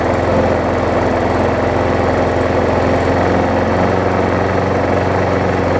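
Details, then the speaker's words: Brand-new Murray big wheel mower, possibly transport-damaged, burned oil inside, after base plate swap: idles with a faint uneven tapping knock despite plenty of oil; owner suspects a bent shaft or the impact-driven engine bolts. Engine knock at idle. "so you hear it's got a little bit of an uneasiness to it. It does have plenty of oil in it."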